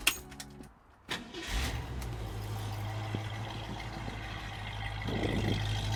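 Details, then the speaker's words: 1966 Ford Mustang 289ci V8 T-code with dual exhaust, heard from behind the car: the starter cranks briefly, then the engine settles into a steady, even low burble at idle and sounds healthy. "dual exhaust sounds really really good"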